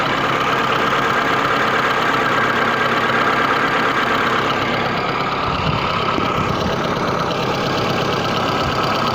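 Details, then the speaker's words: VAZ 21099 petrol engine idling steadily with an unusual occasional knock tapping through now and then; cause unknown, resonator suggested as possible source. "необычный стук в двигателе возможно кто-то с этим уже сталкивался кто-то может помочь или подсказать"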